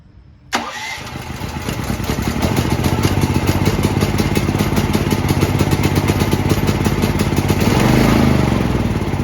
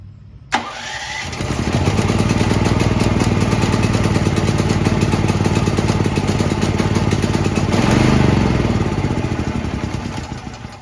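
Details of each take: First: New Firman T07573 tri-fuel portable generator on gasoline, after the tank was topped up so fuel reached the lines; a short crank, then a steady, even run with no misses or knocks. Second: New Firman T07573 tri-fuel portable generator on gasoline, choke on: steady electric-start cranking about three to four turns a second for ten seconds, never catching; owner suspects too little fuel in the tank.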